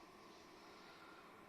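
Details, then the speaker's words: Desktop PC that came in for slowness, just started before cleaning, with dust-clogged CPU, GPU, front and exhaust fans: steady airy whoosh with a faint hum. Noise expected to vanish after cleaning. Dust-clogged cooling fan noise. "Evet, şu an sistemi çalıştırdık. Fan sesi var. Hafif temizledikten sonra bu ses ortadan kalkacaktır."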